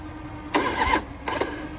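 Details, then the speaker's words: 2004 Harley-Davidson Road King, 88 ci Twin Cam, unused about 5–6 years, engine not seized; two short, sluggish starter bursts die off quickly because the weak battery can't hold the crank. "It does crank over. These batteries These batteries just don't have enough They can't hold it."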